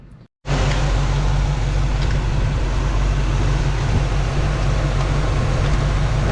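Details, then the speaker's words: 1967 Chevy Camaro RS small block 350 V8 idling after electric fan wiring reversed to pull air, fan set for 185 on/175 off: steady even rumble with fan rushing air; normal idle, fan working. "working right now sucking her in pulling her out good [Music] deal"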